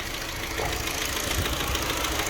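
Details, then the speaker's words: Mini R56 with N12 engine (fuel pressure, coils and new plugs tested OK; timing checked): fine at idle but knocks badly when revved, with a rough, uneven beat through the exhaust; misfire, owner suspected Valvetronic. "on tick over but soon as you rev it up it starts knocking its nuts off and then it'll go away and i'll be running fine and you revved up again starts knocking its nuts off"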